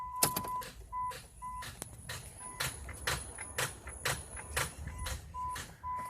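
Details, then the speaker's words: 2008 Chrysler Town & Country Touring: turning the key gives only sharp clicks about twice a second over a faint chime, no cranking; owner suspects dirty battery terminals, then starter. No-crank click from poor battery connection. "it's just when we turn the key it's just giving that click"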